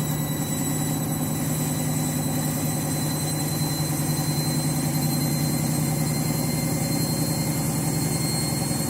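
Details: Washing machine final spin after a very sudsy final rinse (possible suds lock, load sensor deciding speed): loud steady roar with a persistent low hum at high speed; the spin is unusually noisy, cause unclear.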